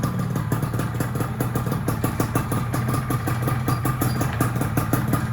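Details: Yamaha F1ZR two-stroke, freshly rebuilt engine ported for daily touring with the pickup welded, first start before break-in: steady, even idle with a light regular top-end rattle, holding revs with no misses or hunting; sounds smooth.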